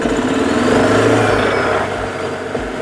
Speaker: This cart accelerated at first, peaked, and then plateaued on the RPMs. That's why the sound started high and then leveled off.